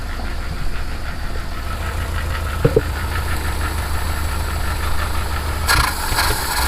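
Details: Citroen HY van, after a no-start repair including fuel pump and pressure checks. A steady, even low rumble with a regular beat and no missing or knocking; the engine idles normally, with visible blow-by.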